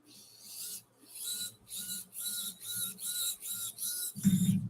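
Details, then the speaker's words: Nano BAM motor with a brass MOFO RC transmission using a plastic transfer gear between the other two gears, running: short smooth whirring bursts, about two a second, faint high whine, barely any gear chatter; quiet, healthy drivetrain. "and you can hear it's not that loud I don't know if you guys can hear that on the microphone it's pretty quiet and that is because it is running a plastic transfer gear in between the other two gears it is not metal so you don't get a lot of chatter in the gears"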